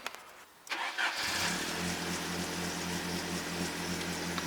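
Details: Mercedes with idle speed set too high and hard starting; quiet at first, then the engine catches and settles into a steady idle; cause not confirmed.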